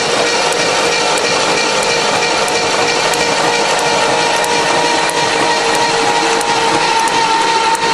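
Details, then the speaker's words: Hydrolocked engine cranked with spark plugs out and throttle held down to blow water out, with water pouring from cylinders: fast, hissy, even churning with no firing. Spark is present; the battery drains. "so yeah the throttle's held down it was held down yeah that's good we got lots of air in there keep cranking I hear lots of spark"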